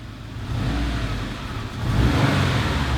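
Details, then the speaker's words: Rebuilt flood- and fire-damaged Subaru STI engine near operating temperature with no fault codes: revs rise and fall smoothly with no knocks, ticks, rattles or vibrations. Normal revving. "Good. No vibrations, no noises. Check what it looks like outside."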